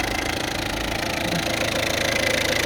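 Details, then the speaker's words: Peugeot 406 2.1 TD diesel idling with the accessory belt removed: steady even clatter, no squeal, chirp or rattle; noise gone, so owner suspects the accessory belt tensioner; compressor also seems to be missing a through-bolt. "Voilà. Plus le bruit. Donc mon souci vient vient de je pense moi le tendeur."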